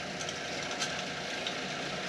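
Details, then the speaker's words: B&G circulator pump after replacing bearing assembly and impeller, switched on: steady even whoosh of pumping water with no grinding, rattle or squeal; normal running. "so i'm gonna hit my on button to the pump and look at that sound it's pumping water as he never had before"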